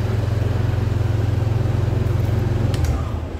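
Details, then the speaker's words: Yamaha All New NMAX 155 keyless scooter, electric start after swapping remote, receiver and SGCU to confirm SGCU as the no-start fault; steady low single-cylinder thrum with even pulses about three seconds, then winds down; normal idle. "Oke, motornya bisa dinyalakan, teman-teman. Oke, begitulah keadaannya, teman-teman."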